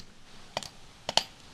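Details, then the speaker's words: Starter off a GMT800 Chevy truck with a Vortec V8, bench-tested with jumper leads: three sharp dry clicks and no motor whir; the starter does not spin, and the solenoid is judged bad while the motor is good. "Nothing. See, it's not spinning. It should spin. This is what it's doing on the truck."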